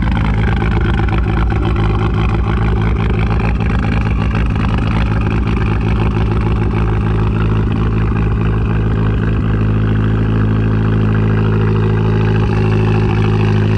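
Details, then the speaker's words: 2012 Fiat Abarth at rough idle with uneven low thumping and a stumble in the firing rhythm; long-standing misfire despite many part changes, cause not pinned down. "the car after some problems one of the biggest issue is the car of a misfire"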